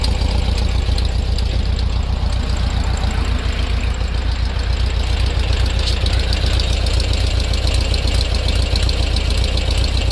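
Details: VW Bug running smoothly at idle with a quick, even ticking or popping about four per second from around the rear left; the cause is not yet identified.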